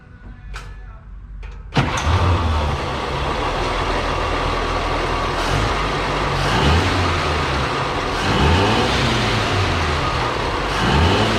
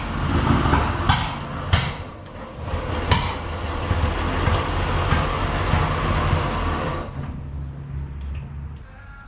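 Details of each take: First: 1937 Chevy barn-find sedan after correcting swapped plug wires in the firing order (2/3 and 4/6 swapped): engine catches and runs smoothly with clean throttle blips and no misfire. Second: Barn-find 1937 Chevy sedan, misfire and carburettor backfire from a wrong firing order: rough low putt-putt with sharp irregular lean pops through the carburettor that choke and throttle adjustment didn't fix.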